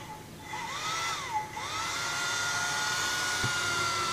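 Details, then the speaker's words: Portable hot-air soldering blower after swapping the 470 and 240 ohm resistors to cut airflow: whirring swoops up and down, then settles to a steady quieter hum at slowest setting (knob right now slows it); runs smoothly. "Ini bunyinya saya putar pelan. Ternyata putar kanan dia pelan ya. Ini sudah paling pelannya."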